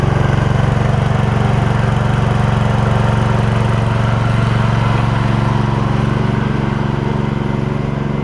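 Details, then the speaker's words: Old Gravely 16 Professional walk-behind mower with sulky attachment, original parts, after a driveway ride: smooth, even low putter about four beats a second, no misses or knocks; engine idling healthy. "you know she's a good runner when it'll idle that blue swabs we have original parts and stuff on it"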